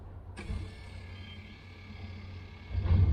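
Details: 1990 Range Rover 3.9 LHD driver electric seat, tested from a possibly flat battery: steady low electric whir from the seat back motor, starting cleanly with no grinding or clicking; healthy.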